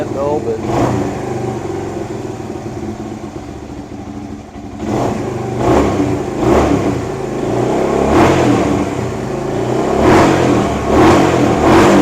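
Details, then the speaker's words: 1978 Kawasaki KL250 single with new fabricated exhaust, cold on full choke, after cleaning points, static timing and new petcock: picks up cleanly on each blip without stumbling; revving much better than before, points likely just dirty. "It's revving a lot better than what it did yesterday. I'm thinking the points were just dirty. I'm happy with that."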